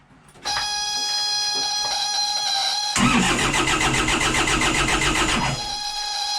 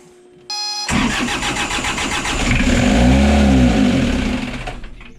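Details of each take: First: 60hp Isuzu C240 (QD60) diesel in a 1985 Outer Reef 26 trawler, first start in 10 years after priming the injection pump: two long cranking bursts under a steady high whine, barely catching each time. Hard start. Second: Isuzu C240 60hp diesel (stamped QD60) in a 1985 Outer Reef 26 trawler, first start in 10 years after fuel-system bleeding. Starter whirrs briefly, then the engine catches into a steady, rough-edged clatter before easing off; healthy start.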